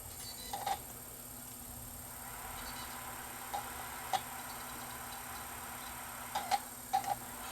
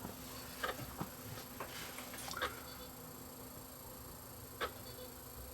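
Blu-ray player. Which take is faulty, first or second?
second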